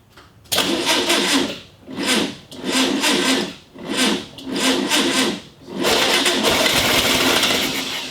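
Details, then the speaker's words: 1965 VW Beetle on a 6-volt battery, first start attempt after years sitting: five slow, laboured starter bursts about two seconds apart that never catch, then a longer drag; weak battery, slow cranking. "Ah, come on. The battery's not having it."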